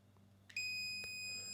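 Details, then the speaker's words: Low-oil sensor switch for a 224cc Honda clone engine (Champion log splitter) tested with continuity tester, leads on yellow wire and contact, flipped upright: clean steady high beep about a second, no dropouts; replacement sensor is good. "we get a connection and it's very consistent. So, this is a good part."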